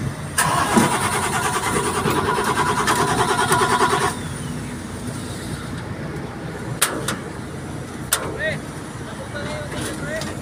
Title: ENGINE HARD STARTING (PUMUPUGAK-PUGAK ANG ANDAR)TADANO CRANE.PNR1